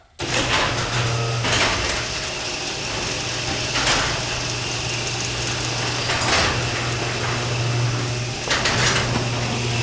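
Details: Garage door opener raising a sticking door by remote: the motor drones steadily under periodic scraping surges as the door drags and catches, then runs okay past one spot; binding while opening.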